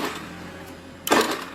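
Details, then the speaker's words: Honda Beat FI scooter: short rattle of dry starter clicks with no cranking despite good battery (12.42 V, horn works, voltage not dropping); cause not yet found at this point, later jumping the starter circuit starts it. "Oke, Guys. Kita ada kendala bit FI starternya cetrek-cetrek ya, kayak percase motor bat carbo. Padahal aki bagus nih."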